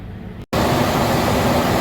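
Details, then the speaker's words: 1990s–2000s Ford Ranger / Mazda B-series pickup after a replacement used or refurbished ECM/PCM and a key-on/off relearn: brief dropout, then a steady, even idle with no misses or knocks; normal idle. "she's purring like a kitten"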